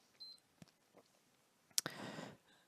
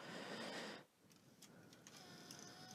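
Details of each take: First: PS4 thrown across a room, after laser ribbon replacement: one sharp power-on beep, then a soft steady fan rush; console powers up and runs normally. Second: PS4 thrown across a room, disc fed, microphone close to the drive: light fairly quick clicks, about three or four a second, as it tries to read the disc; the laser is failing, damaged cable also suspected; laser to be replaced.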